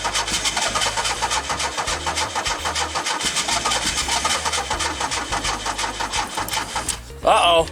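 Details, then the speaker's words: 1984 Pontiac Fiero with an ECM swapped in from another Fiero to rule it out; fuel pump heard priming; coolant temp sensor found damaged: steady starter churning at about four beats a second that never fires, then falls quiet as the battery dies; cranks but won't start. "The car still don't start, unfortunately, but I'll have to continue this later date."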